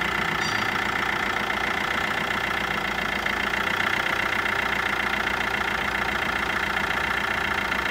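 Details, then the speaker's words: 2013 Fiat Linea 1.3 Multijet diesel idling after timing chain set replacement, battery light on: light fast ticking rattle and bearing-like hum from the alternator; worn bearing and brushes found and replaced. "aracımızı çalıştırdığımızda bir akü lambası yanıyordu ufak böyle bir kıpırdıyordu ve ufaktan takır tıpır şarj durumunun içinden ses geliyor"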